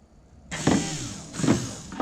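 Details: Electric 300 LPH external inline fuel pump for a 5.3L LS swap on an engine stand, test-powered via alligator clip: steady high electric hum, even with no surging or rattling; working normally.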